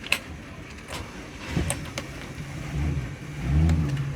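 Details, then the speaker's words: 1989 Sea Ray 340 Express Cruiser, first outing in two or three years: low, uneven rumble with a few clicks building to a steadier drone; engine starts easily and runs without obvious trouble. "okay let's get this thing cranked up and on the water oh bit of Wiggle good bit of Wiggle we good that was easy"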